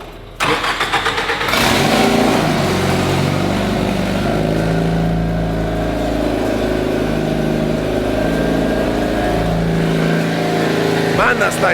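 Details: MX5, after rocker cover off and oil pressure restored: engine catches, then holds a steady run with a few clean rev blips, no misses or knocks; running healthy.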